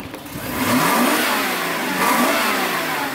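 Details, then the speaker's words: Mercedes S500 W140 with suspected failing catalytic converter (rotten-egg sulfur smell, earlier breakdown): engine revs up with a smooth rising tone, no knocks, but rpm dips slightly when throttle is applied; a friend suspects clogged cats restricting exhaust. "it still got that thing where if you like just put your foot on it it goes down a little bit my friend was telling me man that's the cats it's just not allowing the exhaust in the back"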